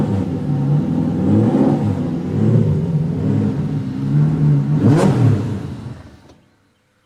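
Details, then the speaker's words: V8-swapped BMW E30 that runs very rich and smoky: revs rise and fall, then cut out abruptly to silence when the throttle is released or the clutch pushed in. Stalls when revs drop; owner suspects grounds/power connections, earlier idle control. "if you're like cruising along you know so there's some rpm and then you either let off the gas or you know like change gears you push the clutch in it just dies like instantly"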